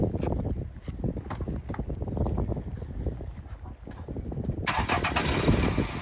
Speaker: Engine sounds pretty quiet. Sounds like a quiet sewing machine, as it should.